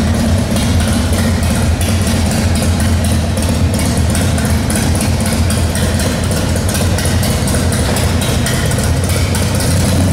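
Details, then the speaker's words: 1995 Harley-Davidson Wide Glide Evo 80 CID V-twin after installing Total Seal gapless piston rings, warming up: a deep, steady thump holding an even idle with no knock or miss. It runs better than before. Normal idle. "well how's it run amazing it sounds better throttle response yep better than before"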